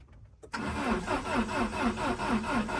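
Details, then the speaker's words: Peugeot 306 cabrio, 2000 (owner says 1998), won't start: starter cranks evenly about three beats a second but never fires; fuel pump silent with ignition on, so likely no fuel reaching engine. "Біда в том, що я не чую насоса. Включаю зажигание. Насос мовчить. Значить, висока вірогідність, що топлива нема."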